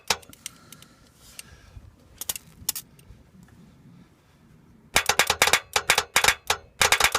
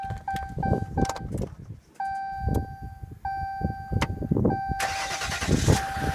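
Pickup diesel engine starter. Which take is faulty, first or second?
first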